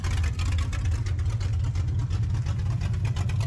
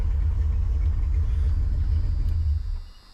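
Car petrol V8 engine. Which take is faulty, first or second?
second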